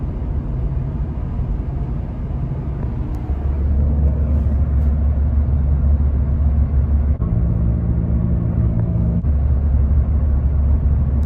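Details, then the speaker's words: 2019 Ford Fiesta after rear wheel bearing hub replacement, test drive at about 50 mph: steady low road rumble with no hum or growl, quiet through swerve test both ways; normal wheel bearing. "Everything is nice and quiet now, and that's the way it's supposed to be."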